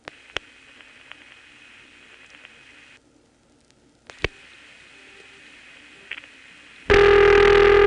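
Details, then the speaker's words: Senderized XY step exchange, Prince William County VA, 1970s, register sender dropped, then 7 for Manassas trunks, 4 Knoxville code and supervision test digits: faint trunk hiss with relay clicks, then a loud steady test tone; normal call completion. "here the trunk noise is obvious you can hear the call for dressing we have reached Manassas for is the code for Knoxville okay and then the last four digits of a supervision test"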